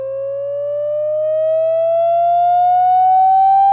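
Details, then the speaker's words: Google Pixel 2 XL loudspeaker playing a rising 550–800 Hz test-tone sweep: a raspy buzz rides on the tone, worst around 700–900 Hz. The buzz appeared recently; water exposure is suspected, not confirmed. "you and I was able to kind of narrow it down to you a specific area ended up being around that 700 to 900 area they kept lowering the peak frequency down lower and lower and lower and finding out where it started buzzing more"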